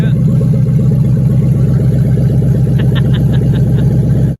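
Deep, steady V8 burble with an even, unbroken rhythm and no knocks or misses; engine sounds healthy.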